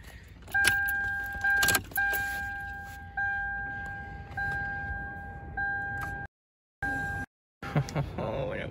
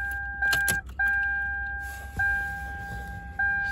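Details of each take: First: Lexus LS400 power tilt steering column after greasing the worn, weak motor's gear teeth to fix a grinding noise: short runs of steady electric motor whine at one pitch, though the motor still overheats quickly. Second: Lexus LS400 power tilt steering column, cover removed: short bursts of electric motor whine with clicks and grinding as the tilt gear is misaligned, pulling out of mesh going up; weak, worn motor; spacer to be added behind gear.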